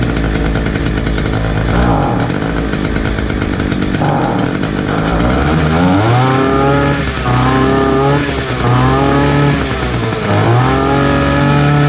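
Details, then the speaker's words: Titan multi-tool small two-stroke after new fuel lines, a new spark plug and a fresh tank. It catches, blips up and settles back steadily: normal running after the hard-starting repair. "well it's got a good tank of pistol in it now new fuel lines new spark plug"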